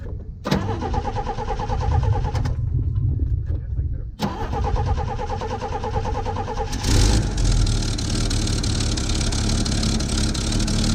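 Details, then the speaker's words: Chevy II Nova with a 250 six from a '67 and swapped-in Rochester BV1 one-barrel carburetor, just primed and started, exhaust unrepaired: cranks, catches on second try, settles to a fairly even idle, not loading up; slightly better than the old carb; normal idle. "h well it's not that bad seems to run a little bit better than the other one not much but it's not loading up or anything"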